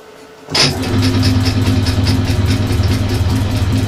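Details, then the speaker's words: Suzuki GS550 converted to fuel injection with second-hand Triumph TT600 parts, test-firing the injectors off the crankshaft position sensor while spun at 560–570 rpm: sudden spin-up, then quick, fairly regular light injector ticks over the hum; normal injector firing. "wow I can hear that definitely definitely uh working [Music] [Music] the injectors are definitely firing"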